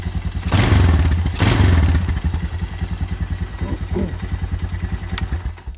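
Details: Honda Fourtrax TRX250 quad after starter motor repair (brushes swapped, original housing refitted): two strong cranking bursts, then the single catches and runs an even low putter; starter turns it over cleanly.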